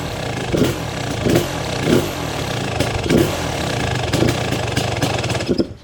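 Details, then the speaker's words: Kawasaki KX250 two-stroke after complete restoration, first start after five primes: runs fast and crackly with repeated blips about every second, never settling low; high idle because the idle screw is set way out. "The idle screw's way out. Woo, I was nervous there, man."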